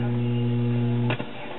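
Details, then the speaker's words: 1969–70 Japanese-built Packard Bell AM/FM/8-track stereo receiver: a loud, steady low hum with buzzy overtones in the audio. Bridging a test capacitor across the failed 1000 µF 25 V Nichicon filter capacitor makes the hum drop away after a click. "okay I've located the problem this big blue capacitor right here is the culprit I will demonstrate okay you hear the hum here"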